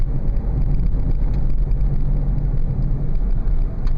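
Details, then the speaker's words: 2000 Oldsmobile Silhouette minivan on a test drive at about 30 mph after replacing one front wheel bearing hub assembly: steady low road rumble with no droning hum. The bearing now sounds healthy. "and I don't hear that loud hum anymore so I think we may have solved this little problem"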